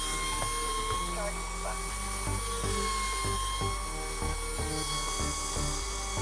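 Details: iRobot Roomba 560 in diagnostic test mode for the suction motor: steady high-pitched whir holding even speed with no squeal or rattle; suction motor runs smoothly.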